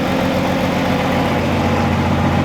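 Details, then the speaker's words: VW Mk3 VR6 after junkyard parts and a wiring bypass: idled high, then settled to a steady, even idle with no surge. The owner believes the car is now fixed, though the alarm keeps going off; cause of the high idle unconfirmed. "I do not know what I'm missing right now the car runs it idled high and then kind of came back down"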